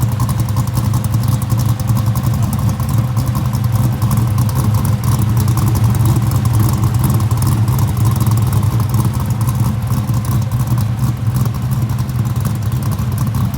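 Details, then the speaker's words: Rebuilt engine in a '65 that had a lifter-like valvetrain noise, now fixed after new lifters, new cam and longer pushrods. Heard from the front, it has a smooth, steady, quiet low idle with no ticking or clatter: normal idle. "Walk up front, let you guys hear it. Nice and quiet."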